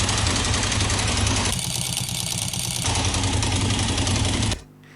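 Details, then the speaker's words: Bajaj Boxer single-cylinder motorcycle at idle: a harsh, rapid clatter locked to engine speed, then the engine cuts. The knock comes from worn clutch basket damper springs, which sounds more serious than it is. "такие резкие звуки действительно могут восприниматься как что-то более серьезное"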